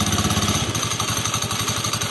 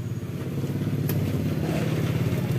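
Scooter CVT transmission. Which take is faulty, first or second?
first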